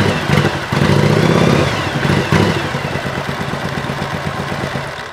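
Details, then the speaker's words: 1985 Yamaha Virago XV700 after fitting a voltage stabilizer to the ignition feed: engine fires up, revs briefly, then drops to an even, lumpy V-twin idle at a steady beat, much improved over before; normal start and idle. "on what an improvement the first one was you heard it it was like I just started to write"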